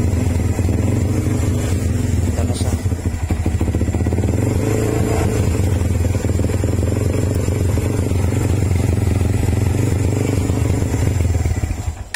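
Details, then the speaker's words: Motorcycle that dies in traffic when braking and is hard starting, after fitting a new tri-electrode spark plug: low, lumpy, uneven idle that fades out as if stalling; owner suspects the carburetor needs tuning, not the spark plug. "ibig sabihin hindi sa sparklet ang problema sa carburador Kailangan na siyang ipatono yan namamatay oh."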